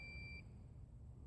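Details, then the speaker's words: DJI Phantom 3 Standard remote controller beeps once, high-pitched, over wind and motor hiss while flying far with a range extender near 1650 maximum distance; low controller battery warning. "my controller is low if you can hear it beeping in the video"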